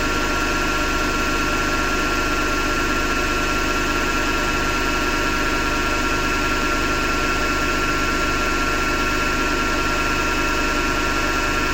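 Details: Hotpoint Ariston FMD963 washing machine with a steady coarse grinding rumble through the spin and a faint pulse near 100 per minute; the owner suspects the motor rather than the drum and plans to remove the belt to test.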